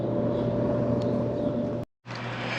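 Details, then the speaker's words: Speed Queen commercial dryer that wasn't heating, exhaust vent heard outside after straightening the duct (exhaust now 190 instead of 390): steady, strong rush of air with low hum, briefly cutting out; normal strong exhaust airflow. "so i'm outside and uh this is my vent you can hear it and it's coming out strong after i straighten up the duct so it's blowing nicely"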